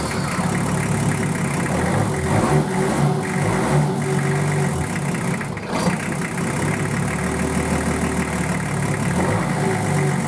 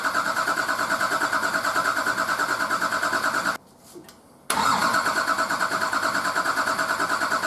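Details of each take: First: Nissan Patrol RD28 diesel just started for the first time after injector and pump install and bleeding air from the injector lines: steady, even idle with low rumble and light clatter, no misfire or stumble; normal idle. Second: Nissan Patrol RD28 diesel, first start after injector and pump install, idle over six months: cranked with injectors cracked loose to bleed air from the fuel lines, rhythmic cranking about three beats a second, pause, then uneven cranking before catching.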